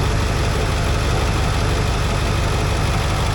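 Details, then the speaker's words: Ford F250 7.3 Powerstroke diesel after crank-no-start fix with two starters, solenoid and new injector drive module, just restarted, engine light on, some smoke: loud even diesel idle, about three beats a second, no misses; normal idle. "Oh, I tell you what, that sounds ace."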